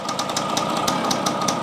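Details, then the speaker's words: 1973 Yamaha CT3 175 two-stroke enduro idling on choke after being drained of oil and fuel from hydrolock, liquid still spitting out. Fast, regular sharp ticks and puffs over the idle. Owner suspects a major exhaust leak at the head or cylinder, unconfirmed. "It sounds like a major exhaust leak up at the head, or at the cylinder."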